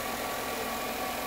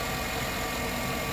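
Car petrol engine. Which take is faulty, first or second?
first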